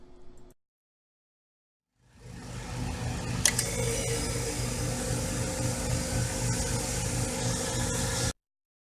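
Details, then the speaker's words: Elcold EL11/countertop freezer compressor starting after replacing the start capacitor: silence, then it kicks on and holds a smooth, even low hum with a light rattle; normal compressor start. "With our new capacitor installed, we can return the freezer to service. After 2 minutes, we should hear the compressor start."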